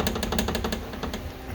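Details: 1999 Corvette door window track rattling, fast loose clattering about a dozen knocks a second; the bushing mounting the forward window track has come apart. Fix is a new bushing, or a piece of hose in a pinch.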